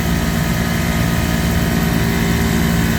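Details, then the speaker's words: Three-phase refrigeration compressor on a beer walk-in, skipped maintenance, tripping thermal overload: loud uneven labouring hum with rough churning beat about 2.5 per second, drawing 13–15 amps, poor pumping then locked rotor; damaged piston. "definitely sounds rough but we do have compression it's not like I'd like to see that high current though 15 amps that's really high for this guy"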